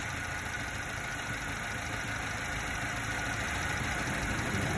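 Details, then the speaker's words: 90s Subaru Sambar KS4 carbureted engine at warm idle while turning the idle mixture screw: idle sags and roughens briefly, bogging when the screw is turned one step too far; mixture then set at half a turn. "there was the bog bogs down a little bit there so let's try one more half again"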